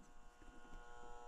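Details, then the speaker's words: Dual-zone furnace with thermostat calling for heat: faint steady transformer hum, no light or power on the control board, nothing starts; cause found as blown fuse and failed control board. "No light on the board, no power, so that indicates, it sounds like that transformer humming, don't it?"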